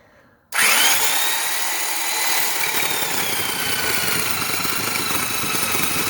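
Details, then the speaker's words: Rockwell/Porter-Cable orbital Tiger Saw reciprocating saw, cutting test in wood with an aggressive blade: harsh, high-pitched whine that sags and strains as the blade bites. The motor is bogging under load. "yeah hold up there so you could actually hear bogging down because of how aggressive this blade was but it did sit pretty well surprisingly enough"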